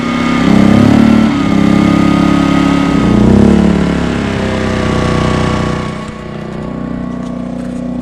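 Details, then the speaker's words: Small Duromax 2000 W inverter generator starting a Coleman Mach 15k BTU RV rooftop AC without a soft starter (before the EasyStart 364): the engine suddenly bogs, pitch sagging and wavering, then drops back. The AC starting current overloads it. "right you can see so that instantly overloaded it instantly overloaded the generator trying to start the air conditioner so the goal is to make sure that does not happen"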